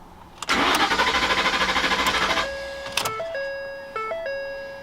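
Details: 2011 Ford F-150 5.0 Coyote crank no start, tachometer registering crank sensor: about two seconds of quick even cranking that never catches, then dash chimes; fuel pump circuit fuse fault, common on 2009–2014.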